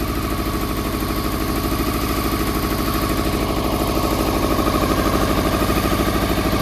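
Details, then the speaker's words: Honda CBR400RR NC23, restarted with carb spray; lumpy, pulsing idle with a heavy beat of about three per second, firing only on cylinders one and two; three and four are stone cold, so misfiring on two cylinders. "right believe it or not that was only firing on cylinders one and two um because that's hot that's hot them to a stone cold so uh so three and four are not firing right okay"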